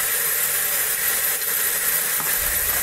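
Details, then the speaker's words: HobbyCNC PRO board stepper motors after setting drive current to 0.42 V test-point voltage for 3 A motors; steady hiss with thin high switching-frequency whine, no stepping or knocking, motors held locked normally. "xis, turn it up clockwise, and there we hear the characteristic motor whine from this motor. That's the switching frequency."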